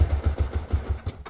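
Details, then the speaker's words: Motorcycle with Juken 5 ECU, base map set too low during idle tuning: engine catches with about seven uneven beats, roughly eight a second, then fades and dies; too little fuel, too lean to idle. "ya. Mesinnya mati. Jadi ee karena bensin yang masuk ini kurang, jadi mesinnya mati. Jadi enggak enggak bisa enggak bisa langsam."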